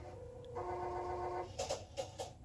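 A short whirring buzz of small motors for about a second, then a few quick ticks as the lenses reset, a normal end-of-sequence cycle.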